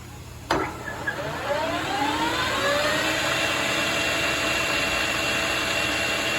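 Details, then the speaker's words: Koan Cho KC1640 lathe spooling up into a high-speed range run after a quiet low-speed (about 65) test: smooth, quiet, steady even whir with no knocks or grinding; nice quiet machine, normal high-speed run. "nice quiet machine Perfect all right it's good"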